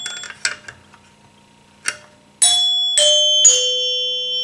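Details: 1974 Gottlieb Magnetron EM pinball three-chime unit after rebuild: several bright bell strikes ringing cleanly with long even sustain, no plunger clack thanks to the seal it bounces off; working properly.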